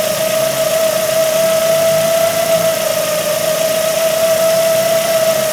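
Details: 2008 Ford Focus 1.8 petrol that lost electrical power and died: steady high-pitched squeal held level over a smooth idle with electrical loads on; alternator squealing, confirmed under the engine and to be replaced.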